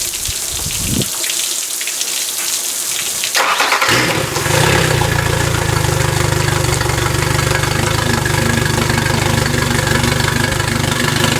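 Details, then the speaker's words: 2007 Yamaha F50 TLR outboard just after water pump impeller replacement: brief cranking, catches after about four seconds and settles into a steady even idle. After 10–15 minutes water pressure is about 17–20 at idle, 25–30 at fast idle. Normal. "Okay, this bad boy's been running for about 10-15 minutes here. I've checked the pressure, water pressure is right at about 20 idling, 17-18 idling."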